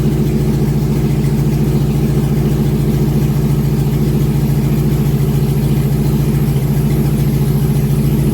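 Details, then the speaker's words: 2001 GMC Sierra 1500 HD V8 just started after the injectors were cleaned again: even, steady idle with no misses or stumbles; check-engine light not flashing, no misfire, though another noise remains. "The engine light is not flashing, so that means it is not showing a misfire."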